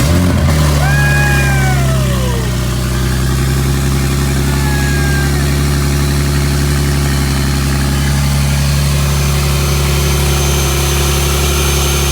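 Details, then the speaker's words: Rebuilt wrecked 2023 BMW M3 with newly installed KLM Race big turbo kit, essentially straight-pipe exhaust, first start: catches at once, flares, then loud steady deep idle with no misfires or leak hiss. Normal idle. "That sounds good. It sounds so good. Even though the exhaust is not, it's basically straight pipe right now, dude. Pretty much just 100% straight pipe"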